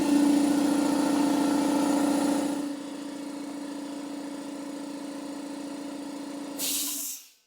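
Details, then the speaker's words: Repaired free air compressor, holding about 90 psi after leak checks: steady pumping hum around 210 beats per minute, settling lower under load before shutting off; pumping normally, weld holds, no leaks. "All right, we're almost right at 90, just a hair below it."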